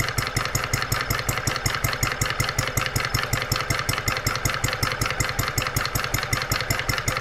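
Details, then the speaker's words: Brand-new Stirling Kit hot bulb horizontal mill engine (9" cast iron flywheel) on its first start out of the box at 74°F room temperature, mixture richened. It runs with a crisp, regular beat of about 160 per minute, water pump and check valves working. Normal running. "we starting to get water flow our water pump is working our check valves are working what an incredible brand new engine listen to it"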